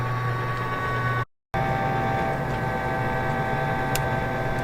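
Steady electric motor hum with a constant whine and a few faint pellet ticks; the auger is turning and feeding normally.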